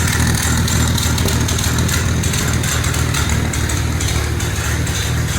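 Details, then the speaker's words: 1948 Dodge flathead six with new intake, Fish carburetor and twin "shotgun" dual exhaust, first start and still cold: steady fast tick over a lumpy exhaust note. Owner suspects a leak around the baffle and plans fiberglass wrap to stop the ticking. "and I'm thinking I might have to get some fiberglass rack and uh wrap the BFF before I put it in I think i' eliminate that ticking noise"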